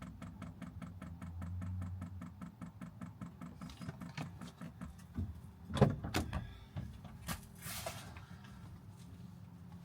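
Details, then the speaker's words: 5 kW Chinese diesel heater powered by a Jackery 1000 v2 at first switch-on: steady ticking of about four per second over a low fan hum as the pump primes. This is a normal startup. "Oh. That's it priming. You can hear the little ticking."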